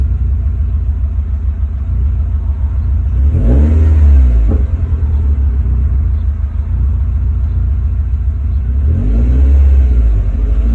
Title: Rough idle hard to start after turning off after temp reached